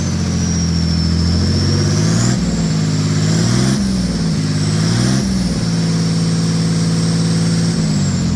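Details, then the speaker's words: Mercedes OM603 diesel in a Ford Ranger (Doomsday Diesel adapter, ZF5 transmission), after first start and brief warm-up, good oil pressure: even clatter climbing smoothly with each throttle blip and settling back cleanly; healthy engine revving. "see what it sounds like we can give her some revs I'll let it warm up for a couple more seconds here and then we'll rev It Up"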